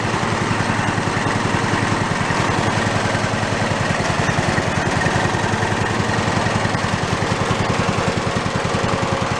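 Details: Toro riding mower single-cylinder engine, failed and torn down, rebuilt missing half its crankshaft, idling with no throttle and possibly choked: heavy loping thump with a shaky, uneven beat "like a Harley", the engine rocking hard from the unbalanced crankshaft.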